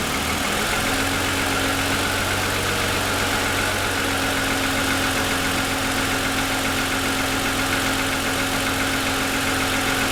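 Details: 2007 Lexus ES350, parked, hood raised, cold idle for ~10 minutes after start: busy dull rattle blended into idle; owner says piston slap, worsened over 2.5 years, suspects design/production defect.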